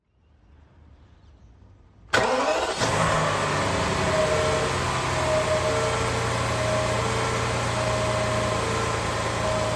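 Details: BMW 760Li V12 petrol engine starting and settling to idle, with a thin mid-pitched whine coming and going over it; the owner asks what is wrong, and the cause of the strange noise is unidentified.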